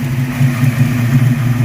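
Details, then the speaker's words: 1982 Mustang GT just after a swap to a brand-new rebuilt V8 with heads and cam, ignition switch broken and held in place, newly painted headers smoking. Steady, even V8 burble at idle with no knocks or ticks. Normal idle. "Oh, she sounds beautiful. I can't get out of the car because I've got to hold the broken ignition switch in place, but she sounds beautiful."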